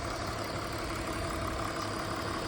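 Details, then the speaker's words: 2001 BMW E46 325i wagon, 250k miles, inline-six idling the next day after cooling-system repairs and reassembly; quiet, even idle with a soft steady hum, no ticking, hissing or rough pulses; sounds healthy. "All right, got it all back together. You can hear how quiet it is."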